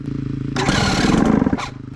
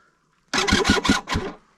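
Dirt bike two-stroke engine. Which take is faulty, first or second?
second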